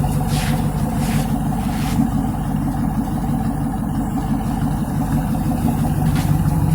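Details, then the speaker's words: Fourth-generation F-body V8 idling after swapping the polyurethane transmission mount back to rubber to cure seat and console vibration: steady, deep exhaust rumble, even and settled, no knock or rattle. "that made a huge difference yeah tells normal now I don't feel good vibrations but you see how she's running she's running like a champ now ain't nothing wrong with her"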